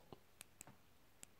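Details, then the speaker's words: Nintendo Switch Joy-Con replacement joystick during drift repair: crisp, distinct little click on each press, clean and sharp, unlike the old controller's stick which no longer clicks; the new stick's press switch works properly. "entend bien le petit clic je sais pas si vous l'entendez on entend bien le petit clic des petites bricoles qui ne sont plus opérationnels sur les mallettes"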